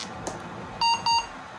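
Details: AMD 386 DX/40 motherboard after reset-line work: two short clean high-pitched POST beeps, then it boots on its own and keyboard works; normal power-on self-test.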